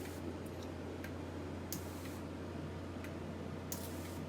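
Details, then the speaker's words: High-pressure aeroponic system with accumulator tank, pump and pressure switch: misting solenoid on a timer set one second on, one second off, light sharp clicks about once a second over a low hum with faint spray; switching normally. "and now it should start clicking on one second off i'm getting the camera wet obviously this is not the timing that you want to have it set on"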